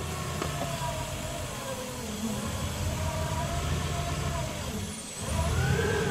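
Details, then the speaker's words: Delica L400 van with 1UZ-FE VVTi V8 swap, airflow meter and intake piece held on: dull, strained note that dips then recovers; found to be a big intake restriction making it run hard, so it is removed. "that's a restriction hey that's a big restriction it's like it makes it run hard"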